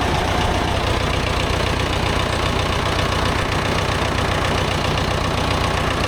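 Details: Vintage David Brown 990 diesel tractor, abandoned 20+ years after tipping over while running, first restart after fuel system flush and new fuel: steady rattly diesel clatter at even idle, no misfires or hunting; healthy idle.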